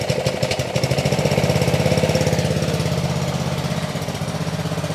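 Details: Ryobi RY80940B 3100 psi pressure washer, Honda GCV190 engine, made 2018, trash-picked, after carb kit and fuel work, warming up: fast uneven putter with wavering dips; still rough, not settled, cause unconfirmed.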